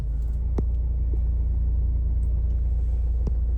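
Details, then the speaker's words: 2017 Hyundai i20 Asta diesel, 109,000 km: starts first try with no starting trouble, then steady low diesel rumble at idle with an even beat, no knocks or rattles; normal idle. "ఒకటే self start అయిపోయింది, ఎలాంటి starting trouble అయితే లేదన్నా. Perfect ఉంది beating అయితే."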